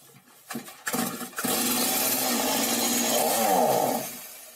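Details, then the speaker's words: Stihl MS 180 chainsaw, heavily used by professionals and serviced about two months ago, hard to start: it runs rough and the revs wobble, sag and die as soon as it is taken off choke. The mechanic calls this a clear sign of carburetor malfunction. "Все. Только переводишь с подсоса, сразу глохнет."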